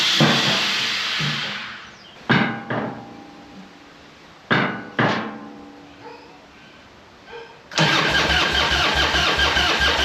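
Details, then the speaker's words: Harley-Davidson Evo 1340 Heritage that ran faultlessly on an 800 km ride, then sat about two weeks: after two failed cranks the V-twin fires and runs lumpy and uneven, rough running of unknown cause. "Doesn't sound good, does it?"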